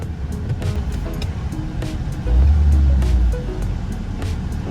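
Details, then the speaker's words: R53 Mini Cooper idling after exhaust leak repair, O2 sensor refitted, on jack stands: steady, even low exhaust rumble with no puffing or ticking, leak gone; normal idle. "fingers crossed oh yeah no more exhaust leag woo sounds good"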